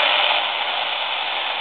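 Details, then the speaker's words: Laptop at its startup screen: an AM radio held near it picks up loud hissing, buzzy static from electromagnetic interference that reaches about 4 ft out from the machine. "and that noise is extending out of this machine by about 4 ft"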